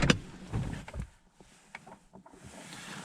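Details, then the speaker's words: 2020 Lada Vesta SW Cross, 1.8 engine, AMT 2.0 robotized gearbox, 28,100 km, engine off with ignition on: a few short dry clicks and brief whirs as each gear engages, mostly on reverse, no squeal; actuators working normally. "видите есть небольшое щелчки особенно при ключей при переключении на заднюю передачу но скрипов никаких нет и щелчки есть практически не слышны"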